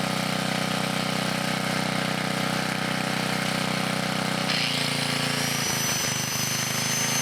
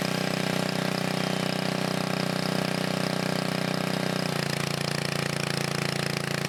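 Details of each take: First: 1980 Montgomery Wards 2200 W generator, Briggs & Stratton 5HP, after NOS block swap and carb rebuild, run about half an hour under changing loads; steady single-cylinder drone drops in pitch under load and never fully recovers: carburetor and governor issues. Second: 1980 Montgomery Wards 2200 W generator, Briggs & Stratton 5HP, after NOS block swap and carb rebuild, no smoke; steady even single-cylinder drone settling to a slightly lower note as governor catches: running properly.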